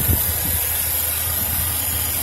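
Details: 2007 Chevrolet Silverado 2500HD LT 4x4, one owner, regularly serviced, no check engine lights, heard with the hood open: low, steady idle rumble with an even beat and no knocks, ticks or misses; the engine sounds healthy.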